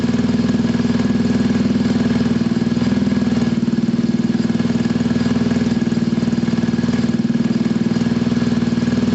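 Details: Scooter from a Gilera DNA 125 / Pulse Force 50cc project (which one is not stated), warming up, automatic choke possibly still on: even, steady single-cylinder putter, no misses, knocks or rattles; owner says running is spot on.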